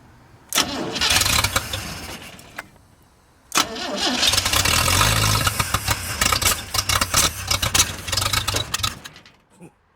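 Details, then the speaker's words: 1937 Chevy 250 six-cylinder, first start, cold, after new points restored spark: cranks, stumbles on the first try, then catches with an uneven, lumpy idle. Rough running; thought to be a little out of time. "yeah I think it's a little bit out of time it runs though"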